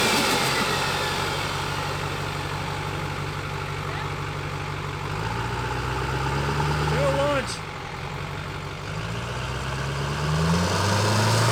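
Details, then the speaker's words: 1300 HP Duramax diesel after new Industrial Injection XP600 CP3, 200% Flux injectors and FASS fuel pump: steady even idle clatter, smooth blip and clean settle; sounds healthy. "This sounds so good."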